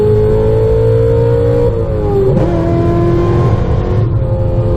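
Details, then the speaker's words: 2005 Chevy Corvette on a quarter-mile run, shifting into fourth right at the end: the engine howls hard, then drops sharply in pitch at the shift and sounds flat. The wide 3-4 gear spacing leaves revs below peak power through the trap; a closer-ratio transmission is planned. "guys just saw the RPMs dropped way down like right before the quarter-mile and you could hear the car not making any power I mean it's making power but you can actually hear it let go you know it's not in its peak power band going through the trap"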